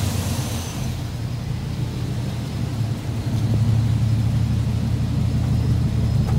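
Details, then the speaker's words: 6.0 LS V8 swapped into a GMC K2500 with a Muncie SM465. It settles into a deep, steady idle with no ticking, and the lifter rattle from the night before is gone. Oil pressure is only about 20 psi, the spark plugs are due for changing, and the oil is thought to need changing. "runs good sounds good uh it doesn't have that lifter rattle anymore like it did last night actually sounds really good"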